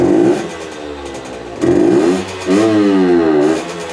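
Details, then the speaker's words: Herkules Prior K50 moped, 50S two-stroke engine, 5-speed, original displacement, aluminium tuning head: revs up buzzing, then collapses and stumbles hard at full throttle, with too much air; worse with the air filter covered, main jet 100 too small. "C'est un signe clair d'un excès d'air. Si je lui donne plein gaz, il s'effondre. Il s'effondre très fortement."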